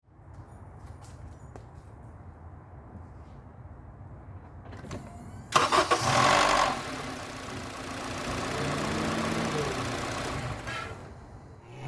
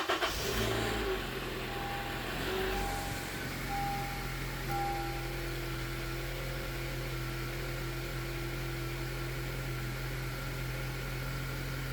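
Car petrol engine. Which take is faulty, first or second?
first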